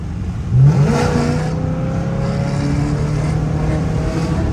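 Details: Pontiac G8 GT V8 automatic, hard acceleration: revs jump briefly during the upshift before the gear bites and settles; transmission shift flare the owner says worsened from hard driving; replacement transmission already bought.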